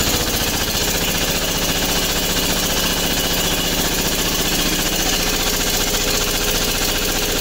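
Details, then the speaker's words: MEP-802A diesel generator, first start after piston ring and gasket replacement (previously only one cylinder firing, blue smoke, blowby): loud, even chugging at steady quick beat with no misses; firing cleanly on all cylinders. "There you go. That's the sound I was looking for."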